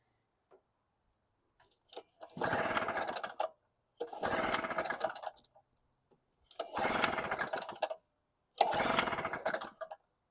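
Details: Storm Cat 700W Harbor Freight generator, 63cc two-stroke on 50:1 mix: four short bursts, each firing about a second then dying, with silence between. Owner suspects fuel starvation, possibly the carb float; old fuel was drained earlier.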